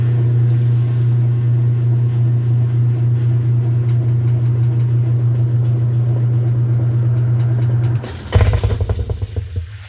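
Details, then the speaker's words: Whirlpool/Kenmore top-load washer that won't spin-dry and makes noise: a steady motor hum, then a loud clattering clunk and tub shudder when the brake engages. The drive block has ridden up out of position on the brake assembly. "que se escuchó y eso que está haciendo no es normal porque el Drive block ya está fuera de lo que viene siendo su posición en lo que viene siendo el bloque de frenado"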